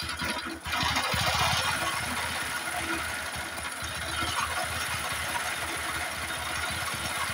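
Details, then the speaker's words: Honda Supra X 125 motorcycle before full engine teardown: harsh, uneven mechanical clatter at about three to four beats per second over steady idle, described as very rough; source not yet found. Rough engine noise. "Oke, jadi suaranya seperti itu, sangat kasar."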